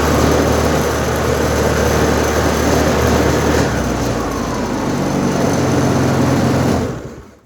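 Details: Aprilia Habana 125 scooter after its vacuum fuel pump problem was fixed, with a replacement pump: revs up evenly and holds a steady high rev before dropping away, cleanly with no stumble, good fuel supply to the carburetor.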